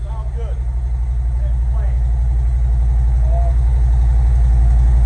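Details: Harley-Davidson M8 Ultra Limited just after new R10 spark plugs and plug wires, warming up after first start: even, loping V-twin idle at about four pulses a second, settling as it warms, no miss or tick; normal idle.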